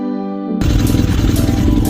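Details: Motorcycle, first start after an engine swap from another frame, battery weak so jump-started: it catches and runs lumpy and uneven with irregular pulses and stumbles; running rough, cause unknown (owner wonders about vacuum leak or timing).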